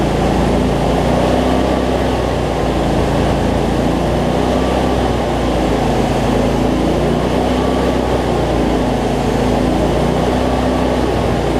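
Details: Cub Cadet zero-turn mower, Briggs V-twin, after adjusting a governor that let it race out of control and fixing rich running: steady, even drone without surging or hunting, revs settled, no black smoke; battery not charging.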